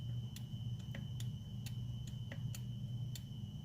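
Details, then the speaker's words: 2010 Honda Pilot EVAP purge solenoid, removed and powered directly from the battery: light, uneven ticking, about two a second, instead of one firm click; the solenoid is sticking and faulty. "Doesn't sound normal, doesn't click properly."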